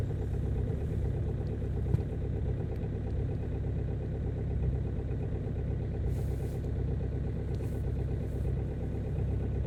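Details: Ford Focus 2.0 TDCi diesel after a hard cold start at -18 °C following a -24 °C night: low, steady diesel clatter at idle, even rhythm, no stumbling; normal cold idle.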